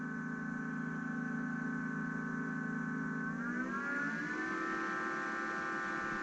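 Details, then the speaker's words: Power station/solar generator after replacing the blown 20 A 250 V PCB fuse, charging on AC at about 1,000 W: smooth fan hum climbing in pitch then settling evenly; normal charging with cooling fans running strong. "Charging at 1,000 watts about. Fans going strong."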